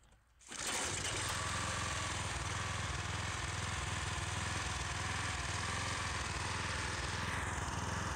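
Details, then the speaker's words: Gas-powered pressure washer small engine after the fix for rough running, cutting out and low power. It catches quickly, then a steady high buzzing run with even firing and no surging or misses; normal running. "try it out on this tire seems to be working pretty well"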